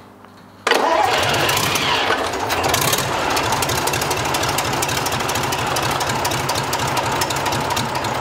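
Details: Rebuilt Tatra 148 diesel engine start after three years: short crank, catches at once, loud, even unmuffled run with no knocks or stumbles; normal start and idle.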